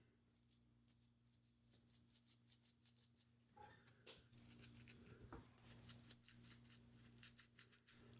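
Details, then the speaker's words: Trek District bicycle bottom bracket bearing turned by hand after removal: light, uneven ticking and gritty rattle of the balls knocking against each other; mildly worn bearing, not too bad. "I can hear the bearings knocking against each other. So, this one's not so bad."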